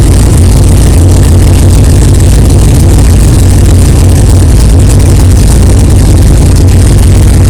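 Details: 1964 Chevelle with freshly built 383 stroker V8, first fire-up after 8-month build; 63 lb oil pressure, 11° timing, not yet warm. Deep, loud, even lumpy idle, no knocking or clanging, good oil pressure; normal idle.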